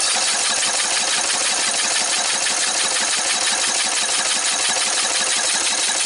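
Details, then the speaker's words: Red lawn tractor, 14.5 Briggs & Stratton, new fuel line partly fitted: steady fast starter cranking with no catch or fire, no fuel flow; owner suspects the remaining line is collapsed somewhere. "I bet I'm gonna have to replace the rest of that line. I bet it's collapsed somewhere else. Yep. Because I mean, there's no flow."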